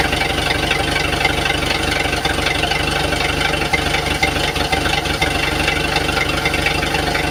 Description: Engine knock problem.